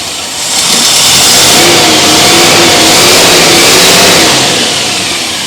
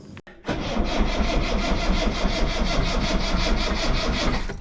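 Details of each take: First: Rover P6 V8 with newly fitted alternator producing 14 volts: revs up smoothly, holds and settles without misses or knocks, faint whine following engine speed; sounds healthy. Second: Rover P6 V8 on a jump pack after alternator swap, mechanical fuel pump: starter cranks at a steady chug of about three beats a second and never catches; mechanical pump slow to draw fuel through.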